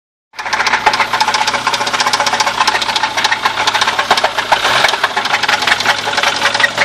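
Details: Audi 80 B4 running: a fast, sharp metallic knock keeps time with the engine over a steady hum, pointing to an internal engine knock.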